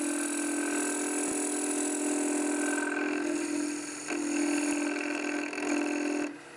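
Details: Wood lathe turning a hollow sphere: a steady, even hum with a smooth cutting hiss and no banging. With the tool's edge opened and its attitude changed, the bevel stops banging and the cut runs clean.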